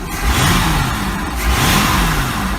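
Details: 1986 Century 5000 cuddy cabin boat's Mercury Marine 5.7 L V8, revived after sitting, carburetor rebuild kit fitted, jets possibly not set right, oil pressure showing; deep rumble rising and falling cleanly on throttle blips, no misfire or knock.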